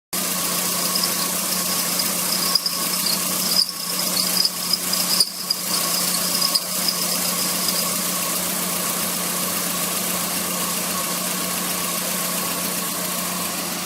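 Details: Squealing AC compressor on an idling car: steady high squeal and whine from the compressor; cause suspected, not confirmed, with removal and overhaul of the compressor proposed as the fix.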